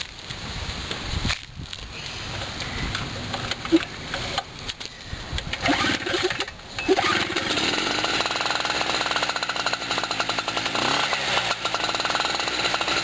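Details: Portable generator cold start, first of 2016 after a year, hot humid windy June afternoon, fuel valve opened and engine switch on: few rough pulls then catches into a steady crisp buzz holding even; normal start before load test.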